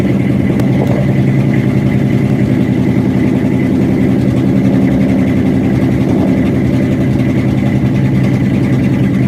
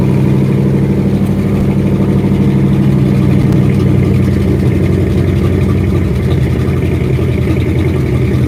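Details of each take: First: 1967 Ford F250 crew cab after fuel tank cleaning and new fuel hose and filter, about 70 degrees out: low, uneven, lumpy run with no clean idle, sounding fuel-starved; owner suspects rust clogging the filter or the fuel-line loop. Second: 1967 Ford F250 crew cab after fuel tank cleaning and new fuel line and filter, filter now staying full: deep, steady low idle with an even rumble and no stumbles or misses; engine now idles fine.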